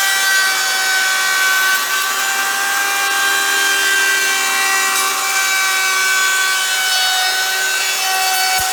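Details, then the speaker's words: Router shaping an electric guitar body on a lighter pass taking less wood: a steady high whine with an even cutting rasp that never drops in pitch. Cutting smoothly with no bogging. "you could hear it just went so much smoother, not taking so much wood, right? You can hear the router doesn't bog down, and that's what you want to do."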